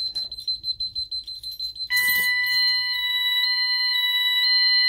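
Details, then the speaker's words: Ademco 6137R alarm keypad, not disarmed during entry delay: short entry-delay beeps, then a loud steady two-note warbling yodel as burglary zone 08 goes into alarm. "Now you hear the keypad yodeling, meaning it's in alarm. It says 08 alarm."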